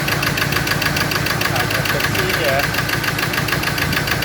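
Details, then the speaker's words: Ford Ranger diesel that would not start, firing only on cylinders three and four; one and two not firing, with no injector electrical pulse; rough, lumpy idle with a hard knock about twice a second; misfire on two cylinders. "because the engine was not starting so i did get it to start but i it only fired on two cylinder in on um four three and four two one and two is not firing"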